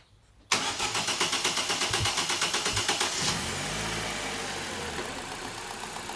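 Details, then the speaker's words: 2011 Vauxhall Insignia 1.8 XER with poor, lethargic performance and codes P0340, P0341, P0366: starter churns evenly about three seconds before catching and settling to idle; long crank that should be sharper. "so it's still a long crank that should be sharper than that"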